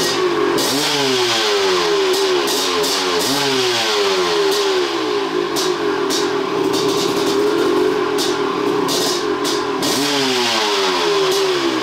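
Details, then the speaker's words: 1993 Maico 500 two-stroke dirt bike, carb suspected of earlier chugging: revs up and drops back smoothly through repeated throttle blips, crisp with no bogging. It is no longer chuggy and runs clean. "definitely whenever I had in the garage you're revving it up you could hear it wasn't Chucky anymore"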